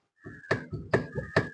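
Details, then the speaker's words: Old-model Honda City, complaint of rattling over bumps: three sharp knocks about every half second as the front wheel is rocked by hand, from a badly worn lower arm ball joint nearly separating. "ഈ lower ആമിന്റെ ഭാഗത്തോട്ട് നോക്കിയാല് മനസ്സിലാക്കാൻ ആയിട്ട് സാധിക്കും ശരിക്കും ആ ball നല്ല രീതിയിൽ പോയിട്ടുണ്ട്"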